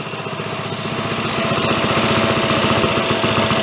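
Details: Ariens snow blower, single-cylinder, pull-started with choke, blowing snow after earlier revival: steady even beat about 220 pulses a minute holding speed under auger load; healthy running.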